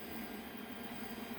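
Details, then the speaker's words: Creality CR10 3D printer, about six months old and fully stock, running on its stock main-unit fans: loud at start-up, now a low, steady, quiet fan hum with a faint even tone and no rattles. Normal running noise. "We're still running all the stock fans in the main unit, which when it starts up it gets quite noisy, but now as it's running you can hear it's quite quiet."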